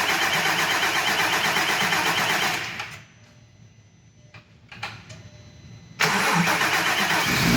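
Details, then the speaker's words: VW MK4 R32 turbo build, first start after rebuild with re-ringed original pistons, honed cylinders, new rod bearings, HPA head spacer and turbo: fires and settles into an even, steady idle, drops quiet mid-clip, picks back up; no knock or miss. "there you go there's the first start"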